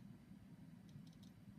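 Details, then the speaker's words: Hard drive after degaussing with a Fujitsu Mag EraSure ME-P2V: faint sharp clicks in quick clusters over a low hum as damaged heads fail while the BIOS searches for the drive. "now if I come in here and you listen you can kind of hear the clicking going on in the drive because the heads are damaged"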